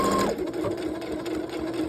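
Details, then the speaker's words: Domestic sewing machine after repair of a belt off its pulley that caused motor spinning and humming without sewing: brief high whir then steady even hum with regular needle patter; running smoothly. "everything is running right where it's supposed to be"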